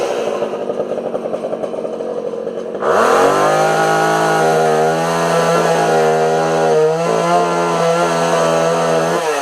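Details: Homelite 240 two-stroke chainsaw after adjusting the low and idle jets on the carburetor: buzzy idle jumps to a steady, high full-throttle scream with no stumbling or dropouts; runs clean and healthy.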